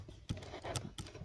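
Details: Toyota Prado 120 with knocks felt in the steering column and wheel, intermediate shaft rocked by hand: dull, uneven knocks, about four in a second and a half, from play in the worn fluoroplastic bushing; worn intermediate shaft bushing found as the cause.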